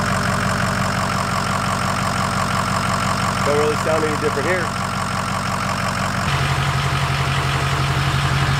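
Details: 2005 Ford F-250 6.0 Powerstroke diesel just fitted with an AFE Momentum dry-filter cold air intake: deep, even idle clatter with a steady rhythm; settles smoothly with no misses or odd noises, sounds healthy.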